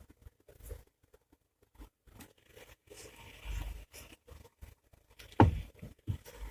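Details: Chery Tiggo 7 steering with column joints tightened and U-joints checked: scattered dull low thumps and one sharper clunk as the wheel turns in its lowest fixed position; stethoscope traces the knock to the electric power steering unit.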